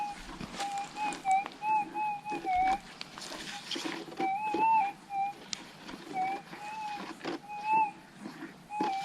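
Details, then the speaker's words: GPX6000 metal detector in noisy Warwick goldfield ground on the Normal ground type: wavering whistles pop up at random over a hiss, easily masking a known target. The wrong ground setting gives false signals; Difficult ground type cleared the noise. "see this is the problem it's making noise all over the place unless you get a sharp noise you're not going to want to stop and i could i could easily miss that even knowing it's there"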